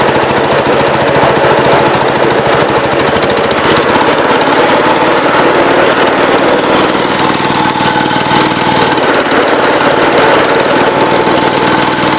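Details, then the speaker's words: Cub Cadet 122 tractor with a mounted 42-inch snow blower, at full throttle: rapid, heavy, relentless hammering through the blower drive, "like a bag of hammers" but working; owner blames the blower bearing, a little smoky. "sounds like a bag of hammers, but it is working. It is the blower bearing, so a little smoky in here now, and let me go find something to sit on."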